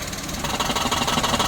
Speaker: suaranya jelas ya kayak kodok ya lepas kopling tekan kopling lepas nah banyak nih yang punya masalah dengan kayak gini harus turun ramisi dan ganti bearing kopling